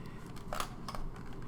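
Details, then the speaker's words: Kodak S100EF film camera (runs on 2 AA batteries), manual hand rewind at end of roll: faint ratcheting clicks as film clicks back into the sprocket, then a sharper snap as the leader flips across; keep turning until no tension. Normal rewind. "And as I come to the end here, you can kind of hear that film clicking in back into that sprocket, and you'll kind of hear it flip right across, and you just want to keep turning and turning until you can't feel any more tension."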